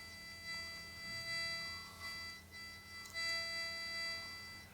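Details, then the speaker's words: XVIVE guitar wireless system with bass: steady high-pitched electronic whine with ringing overtones, stops when volume turned off; bass electronics suspected of picking up the transmitting frequency, not confirmed. "quite prominent and then it'll stop somewhere here now I don't know why that is because obviously if I turn the volume off it stops the electronics and the bass is picking up that frequency this is transmitting"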